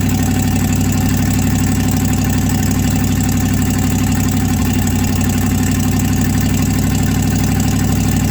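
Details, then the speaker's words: 1967 Chevrolet C50 old V8 truck after sitting nine years outdoors: low, lumpy, uneven idle about four beats a second, struggling and nearly stalling, then won't restart; owner gives it fuel, cause unconfirmed. "i don't know why the thing don't want to idle i'm start it up again now it does not want to start what's going on with you little buddy"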